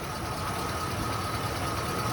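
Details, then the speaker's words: 1994 Ford Bronco 5.0L V8, newly installed engine, first start, coolant not yet filled: oil pressure built right away, soft even idle with no taps or knocks, valvetrain seemingly adjusted right. Timing possibly slightly off. Normal idle. "idling on her own. Nothing spewing out. I don't hear any taps or knocks. Sounds like the lifters or the rocker arms are probably adjusted properly."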